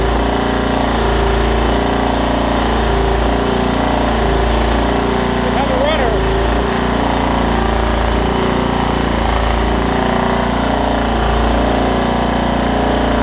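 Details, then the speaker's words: Craftsman LT1750 Kohler mower after priming fuel to the pump: steady even putter from the small single with no knocks or misses; normal running. "oh my gosh it looks good I think around long hey check that out"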